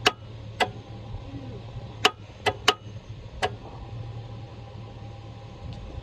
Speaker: now we're going to crank it you ready to crank don't just tick at me damn it